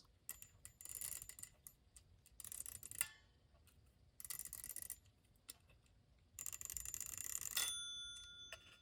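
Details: Restored 1936 Ingraham strike clock, Model SSD1, bought as non-working, tested after the spring was reattached and the set knob fitted. A few clear, bright bell rings sound in separate bursts as the hands are turned, so the striking works normally.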